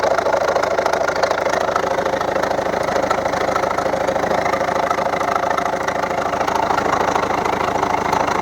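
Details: 2011 Volvo V70 1.6d (Ford/PSA HDi) diesel at idle: sharp, even ticking knock about twice per second. The second injector from the right was flooded with engine oil; replacing its copper washer removed the knock.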